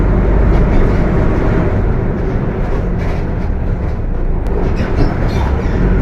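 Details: Mercedes-Benz OF 1721 BTC 5 bus (Apache Vip IV body) pulling along: steady low droning growl under cabin noise, a loud gearbox roar over the diesel note; transmission growling loudly.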